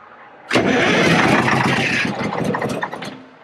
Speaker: that's what they do when they first start is they'll kind of gallop like that a little bit it's because the governor the components of the governor's wore out